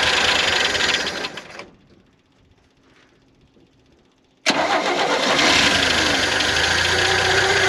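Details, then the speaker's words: 1971 International Harvester 1110 pickup, original AMC 232 inline six, first start after carb rebuild and tune-up, before timing set: drops quiet then catches at once, strong steady run, no misses or knocks; alternator bearings seem fine, normal running. "i think the alternator bearings are very happy he's running pretty good"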